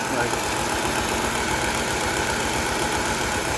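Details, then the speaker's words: '05 car idling in gear with the parking brake on and the check engine light on: uneven, lumpy idle with a beat that keeps dropping out and the engine twitching; dead miss traced to damaged, chewed wiring harness. "It's really twitching. It's kind of hard to see it on video. Um, but basically, this thing has got a dead mess and a few other things going on."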